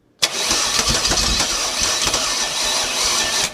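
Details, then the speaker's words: 1969 Chevy 327 small block, oil pump primed and fuel poured down the throat: a sharp catch, then it fires and runs evenly for about three seconds before dying. Normal start and run. "Ah, this engine runs."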